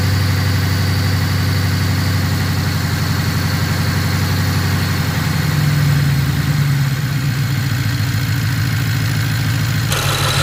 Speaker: the engine sounds completely different now the misfire went away you can clearly hear it that's good